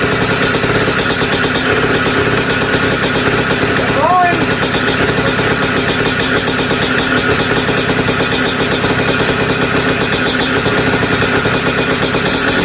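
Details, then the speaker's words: Two-stroke bike just restarted after top-end rebuild with big bore, head mod and performance gasket: fast busy idle with constant metallic rattle, more compression, idle slightly up. Top-end rattle later found to be just heavy vibration. "I don't like how much it's rattling up there but you can definitely hear the compression a little more with that gasket"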